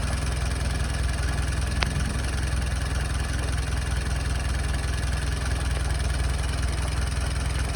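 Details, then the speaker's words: Jeep engine with carburetor, in neutral, idling: low steady thumping about two to three beats a second with slight lumpiness between pulses; rough idle, owner suspects it needs carburetor adjustment. "My hunch is she does need a carburetor adjustment, but I'm gonna let it idle."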